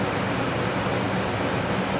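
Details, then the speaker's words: Furnace ductwork with broken furnace: loud steady rush of air escaping through huge gaps in the duct, strong enough to blow a wet towel; heat leaking badly, previously taped. "oh it's leaking out here so bad that's why i taped it up like there's freaking huge gaps"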